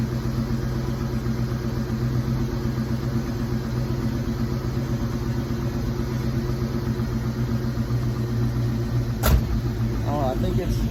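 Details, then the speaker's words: 1986 Mustang SSP after new spark plugs and wires, restarted: steady low V8 idle rumble, even and settled, no misses or ticks; normal idle. "think it's all right for now and now it just idle back down a little bit but I think that's where it's supposed to be"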